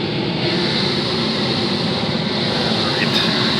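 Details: Goodman/Amana 96% efficiency furnace blower running after replacing the extra-large AC drain pan: steady, even rush of air with no hiss or whistle from the fittings; runs normally, no air leaks.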